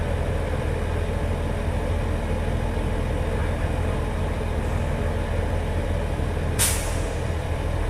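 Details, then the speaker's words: International truck at idle during air brake inspection, governor expected to cut out around 125–135 PSI: steady diesel idle then one sharp hiss-chuff as the governor cuts out and compressor stops charging; normal. "When the governor goes to cut off, you'll hear the psst, the relief valve relieving itself. indicating that the governor is no longer charging the system."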